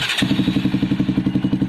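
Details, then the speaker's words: Motorcycle after a home self-starter fix: a quick crank, then the engine catches and settles into an even thumping idle at about eight beats a second. Normal start and idle. "তো গাড়ী পুৰা start হৈ আছে চাবলৈ পাৰিছে এইবিলাক শুনাই দিছোঁ আৱাজটো কেনেকুৱা লাগিছে জনাব দেই কমেণ্টত"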